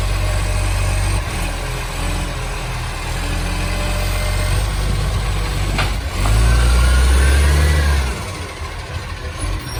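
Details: City of Joondalup green waste truck SL070, a diesel, with a loud, deep roar that swells under load. Massive exhaust leak.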